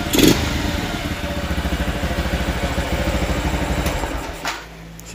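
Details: Two-stroke motorcycle after overhaul and carburetor replacement (old carb hard to set, stalled, sluggish): crisp even idle with steady quick pulses, no misses or surging, then a short blip; engine runs healthy.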